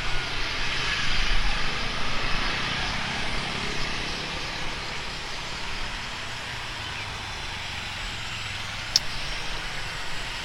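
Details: Speedybee Mario 5 DC FPV drone, Axisflying 2207.5 1960KV motors, T-Motor 5146 three-blade props, test flight after repairing stuttering motors: even whooshing propeller buzz swells and eases with throttle, no stutter or dropouts; normal flight.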